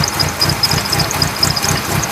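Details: 1997 Mitsubishi Eclipse RS idling, which the owner says overheats when sitting still but runs fine when driven: idle pulses about five times a second with an uneven, lumpy beat under a hissy background; rough idle, cause unknown.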